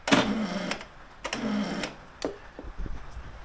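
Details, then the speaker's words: 2008 Honda Today NVS50 50cc scooter after a rebuild, with the coil done and the start solenoid plugged in: two sluggish starter whirrs and a click, weak cranking from a flat battery. The no-start problem persists and is not the start solenoid. "as you can see the battery is flat well sorry as you can hear the battery is flat but more importantly we still have the same problem so not start solenoid uh something definitely awry with the bike"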